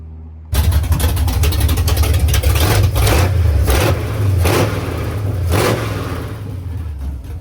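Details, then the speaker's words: "53" V8 on headers, revving after fixing a funky sound (collector bolts/washers added, starter clocked as it seemed to stay engaged): deep blips settle cleanly, no rattle or clatter; sounds healthy. "Much better. Oh yeah, I got special sauce mounted too. No more funky sounds."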